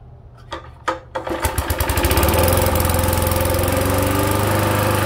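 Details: 1970s push mower with 3hp Briggs & Stratton engine, throttle full, auto choke: engine catches and settles into a steady beat with a heavy regular knock every turn; bad rod knock, believed to have sheared the flywheel key.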